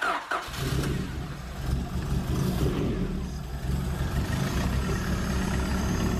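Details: 1991 Honda CRX Si with JDM B16A swap, no-start fixed by restoring fuel pressure: engine catches into lumpy uneven idle with irregular stumble; misfire still present.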